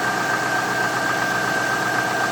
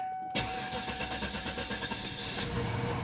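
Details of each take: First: 1998 Cadillac Deville project after fuel pump install, thermostat change and radiator flush, battery still low: steady idle with faint tapping under a constant high whine, light knock of unknown origin; cleaner to be added. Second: 1998 Cadillac Deville after fuel pump install, thermostat change and radiator flush, battery still a little low: brief starter whir, then engine fires and runs with a steady, fairly even pulse; normal start, slight knock noted afterward.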